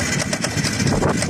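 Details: Yamaha MT 125 motorcycle engine after it suddenly failed ("something snapped", wouldn't start) about three days after return; rough, ragged running with harsh uneven clattering bursts over a low rumble, clearly unhealthy, cause not obvious by ear.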